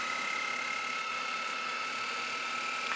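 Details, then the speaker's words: Lite-On DVD-VCR combo rewinding an old tape; thin, steady high whir with faint whine as the tape races fast. Normal rewind. "Now you're going to hear the tape rewind, and I'll let you see just how fast this goes with the numbers."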